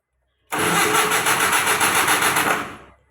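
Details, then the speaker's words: Mitsubishi Colt TSS 120 injection engine cranked with the ECU unplugged; starter turns the engine at a steady, even rhythm for about two seconds but it never starts, since there is no fuel or spark. "nah pertanyaannya adalah pada saat kita starter seperti ini mesin itu dia mau berputar ya ST system artinya bekerja dengan normal tapi kenapa dia tidak langsung e bisa menghidupkan mesin ya"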